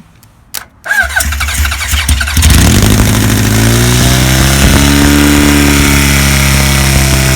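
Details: 1977 Kawasaki KZ1000 D6 (Z1) sidecar racer, stored about 20-25 years, first start: cranks, catches and settles to a steady idle on all four cylinders with an uneven, raspy, funky exhaust note; cause unidentified.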